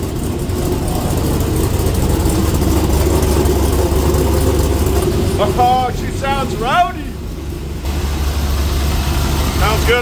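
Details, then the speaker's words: Trans Am WS6 LS1 with a big cam, idling for the first time in weeks as it comes around: a deep, choppy, uneven loping idle with all eight firing and voices in the background; a normal big-cam idle. "sure sign of a big cam right there boys oh she's coming around woo oh yeah oh yeah"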